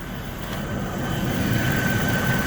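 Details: 2008 Mercedes-Benz CL500 (W216) after installing a used climate control unit: even idle with faint accessory whine and no fan roar; engine cooling fan no longer stuck on high, heat and blower restored.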